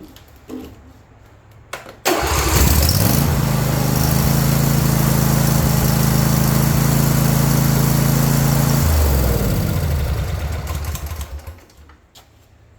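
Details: John Deere S130 riding mower with a no-start complaint: engine turns over briefly, catches at once, settles into an even, steady idle and shuts off cleanly; healthy start.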